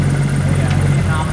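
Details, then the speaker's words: 2JZ-GTE turbo six swapped into a Mercedes SL500 with 6-speed manual, after fixing two injectors that were not firing; unplugging them drops rpm and roughens idle, so all six are firing. Steady even idle rumble. Normal idle. "these two injectors were not firing previously so when I take the connectors off and the engine drops down an RPM and it sounds rough we know they're working I reconnect them it sounds happy again"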